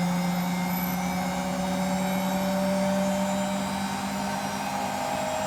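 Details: Hotpoint WMFUG942 washing machine on spin: a loud steady roar with a droning whine at high drum speed, from bad motor bearings.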